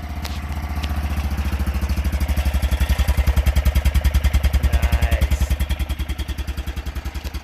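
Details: BMW Isetta after front suspension work, running during a brake test (brakes pull hard right): quick, even single-cylinder chugging that swells a little with revs then settles, steady and smooth; runs great. Normal running.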